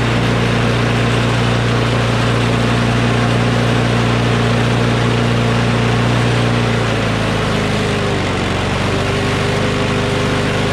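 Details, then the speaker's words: Craftsman push mower with a Briggs & Stratton Quantum engine, about 23°F, as the spring tab is pulled in to ease overtension: steady, even putter settling slightly lower partway through, no hunting or misfire; normal running. "so i'm gonna pull it in a little bit more just a little bit and that gives a little bit less tension on the spring"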